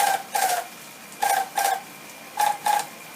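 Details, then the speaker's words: Haier window air conditioner running with cover open: paired scraping swishes about once a second as the fan blades rub the inner styrofoam housing; fix is wedging the housing back for clearance and checking the front fan isn't loose. "just this inner housing styrofoam housing rubbing against that fan so if we wedge this back making sure there's good clearance that should eliminate our problem"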